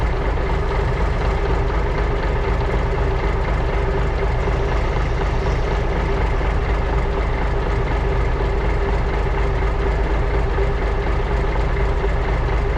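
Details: 1980s Marmon cabover semi with big-cam diesel, unrun about 18 years: deep, even diesel clatter at steady idle, no knocks or misses; fuel shutoff solenoid not working, oil gauge stuck, likely bad gauge.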